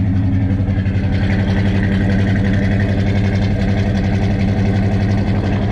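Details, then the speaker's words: 1970 Chevrolet K10 with a 396 big block from a 1971 Chevelle, first start after fuel tank cleaned (bad gas still in line), good oil pressure; heavy lumpy idle with a fast light tick, owner unsure if exhaust leak or lifter: ticking at idle. "i can't tell if that ticking noise is an exhaust leak or about liquor capping"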